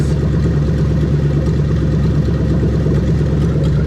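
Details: Lexus LS430 3UZ-FE VVT-i V8 running on a brand-new test engine harness with zero codes: smooth, even, low rumble at steady idle with no knocks, misses or ticks; normal healthy idle.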